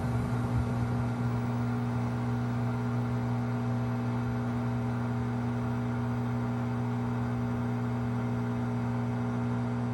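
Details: 5-month-old 2023 Samsung front-load washer WW25B6900AW/A2 draining with no water left: drain pump runs dry with a loud steady buzz (~70 dB), easing to a quieter hum when there is water to drain; buzzing since first month.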